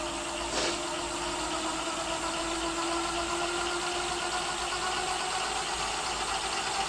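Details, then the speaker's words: E-bike hub motor after swapping in a new KT 30A controller with parameters set, speeding up gradually toward full power: clean, steady whine rising slightly in pitch, no grinding or clicking. Normal hub motor run. "okay so this is with the new controller swapped out everything situated in the right place parameter set let's hear it I'm G to go little by little let it uh gain some speed before I hit full power"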